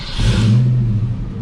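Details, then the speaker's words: Project 4TO8 Mustang with brand new battery and fresh fluids, in freezing weather: fires right up, deep even rumble swelling smoothly as revs rise and settle, no knocks or misses; healthy. "It fires right up. I mean, it's just kind of starts up and does its thing."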